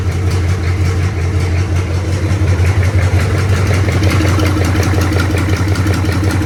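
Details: 1983 K5 Blazer with a swapped diesel, first start after 10–15 s of glow plugs: a deep, steady idle with an even thrum and a loud open-intake roar, no knocks or misses, 40 psi oil pressure.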